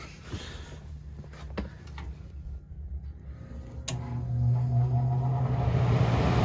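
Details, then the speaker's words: Carrier 58SSB120 gas furnace after replacing a seized double-shaft blower motor that only hummed: low hum builds as blower spins up and settles into an even drone, no stall or rubbing; normal blower running. "Did you hear it working? It was not working before. It was humming."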